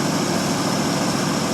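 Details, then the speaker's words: 1952 Ford Customline, 239 cubic inch flathead V8 with dual glasspack exhaust, cold start after sitting a month or two on a 12-volt jump pack to the 6-volt battery: catches right off into a smooth, quiet, even purring idle with no ticking or misses; normal idle. "Makes her crack right off. Let's listen to that old flathead just taking purr. Quiet as can be."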